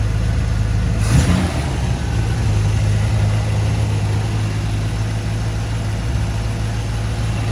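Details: 1957 Chevrolet 210 sedan with 350 V8 and Turbo 400, recent mechanical upgrades: catches with a burst, then settles into a deep, steady, even rumble with no knocks or misses; normal idle.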